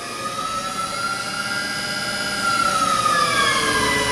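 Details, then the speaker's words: Tipton EFF-205-FA centrifugal finishing system (1995, 1044 hours, 7 HP/5.5 kW drive on variable frequency drive, 460 V three-phase), spinner run manually at full speed: smooth steady high whir, no knocking or grinding; normal running. "here's normal run you can hear it you can't really see it that's that's the full while whatever"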